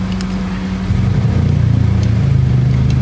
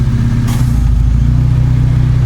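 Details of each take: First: Proton Saga/Iswara with new AC idle-up vacuum actuator fitted: steady, fast idle with no dip; the new actuator's adjust screw sets idle RPM too high and needs adjusting. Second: Proton Saga/Iswara after fitting new AC idle-up vacuum actuator, adjusting it and replacing a dirty air filter: deep, even idle holding steady speed with no dips or hunting; RPM stable, no problem.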